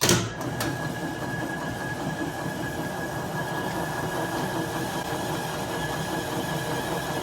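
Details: 1967 Logan model 1875 lathe on a Phase-a-matic single-to-three-phase static phase converter, first start, testing the auto-feed: steady, even motor and gear hum with a faint constant high tone and no knocks or grinding; runs smoothly under feed.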